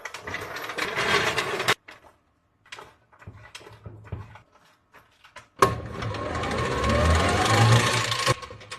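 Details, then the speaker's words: Electric tricycle, wheel lifted, unloaded: loose clattering rattle with the drive, present at high and low speed and on both sides; motor and half-shafts check fine, differential suspected. "车辆行驶的时候哗啦啦的响，听一下这个声音，就是这个声音，高速和低速都有这个声音。"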